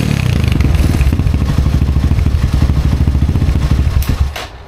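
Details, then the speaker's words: 2020 Chinese Apollo 250cc dirt bike after carb cleaning, clogged main jet cleared: crisp single-cylinder pulses climb evenly to full revs without stumbling, drop off cleanly; now revs out all the way, normal. "All right, so got the carb cleaned. The main jet was all clogged up, so it actually revs out all the way now."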